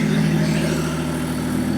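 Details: BMW M57 bi-turbo diesel swapped into a Nissan Patrol with 6HP28 automatic, no exhaust fitted, first start: loud, raw, even idle, steady rumble with no knocks or stumbles; engine runs healthy.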